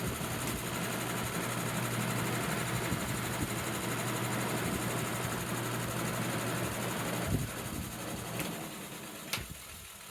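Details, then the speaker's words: Edison box fan, about 30 to 40 years old, with a duct-tape and drill-bit balancing weight on the hub: a low hum with a fast rubbing tick about four times a second. The blades are way out of balance and the tape scrapes the motor. "that sound is just the tape rubbing against the motor but um way out of balance"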